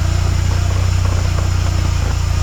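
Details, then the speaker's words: 1993 VW Cabriolet after a new clutch, transmission refit, clutch cable adjustment and exhaust leak repair: smooth, even idle with clutch in and out, no rattle, ticking or grinding. "clutch out. Much better, plus the exhaust leak's fixed."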